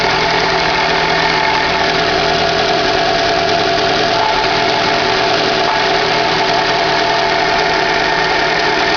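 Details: 2011 Chevrolet Classic at idle: steady bearing-like whir with clutch pedal released, disappearing when pressed; clutch and release bearing already replaced yet noise continues, cause unknown.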